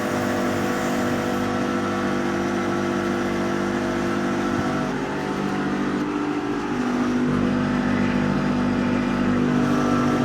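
Steady, even mechanical hum with a faint tone shift midway as the table reverses; the machine runs smoothly with no knocks or strain.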